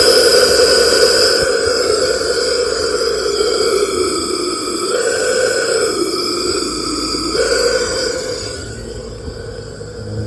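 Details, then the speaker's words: 2015 KTM 500 EXC-F with a no-start and low compression, leak-down test at 70 psi: a steady airy hiss with whistling tones as air escapes past the intake valve, nothing out the crank or exhaust. The intake valve is stuck open and not sealing. "But that's enough to tell us that it's definitely leaking off the intake. Dumping."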